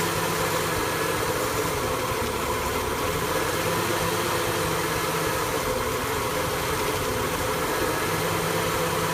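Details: 1974 F100 V8 with an EFI swap: a deep idle that shakes and wavers rather than running even; a rough idle with no clear cause.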